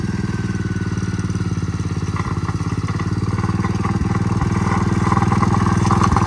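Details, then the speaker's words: Gravely Promaster 50 tractor, sitting two years, after filing the points and giving it a shot of fluid: single-cylinder thump at a slightly uneven beat that picks up; stalled after about 150 feet from a loose clip inside the spark plug wire boot. "Got, you know, I don't know, 150 feet and it just stalled. I noticed that when I was putting the spark plug tester on there that the wire was loose, and that's what happened."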